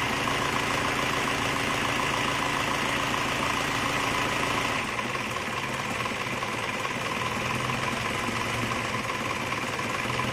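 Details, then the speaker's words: Isuzu Panther diesel rebuilt for heavy blow-by: new liners, piston rings, bearings, reground crank, seals, gaskets and all water lines; just started, not yet adjusted. Fairly steady idle with even clatter, no obvious knock; normal idle. "tapi ini untuk kita lihat dulu hidupnya Bagaimana setelah ganti seker ganti liner baru dan seluruh jalur air diganti semua"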